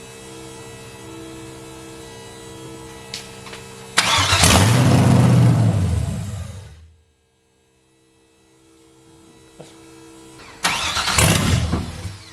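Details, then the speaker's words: Audi TT MK1 with an LS V8 swap on a standalone harness, first start with brake wires not yet connected: a loud V8 catch and roar for a couple of seconds, then it dies, and a second try does the same. It starts then stalls; the immobilizer is active. "yeah it will run it will run but we have to uh get the immo off to get it running"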